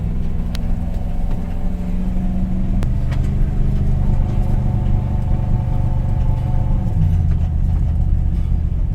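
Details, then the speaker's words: 2020 Nissan NV full-size raised-roof van that suddenly lost power on the highway with the check engine light on, driven at full throttle: flat drone that never climbs and sags in pitch. No power and worsening; plugged exhaust suspected, not confirmed. "And this thing is making no power and it's getting worse. It's I swear it feels like a plugged exhaust, but it could be something else."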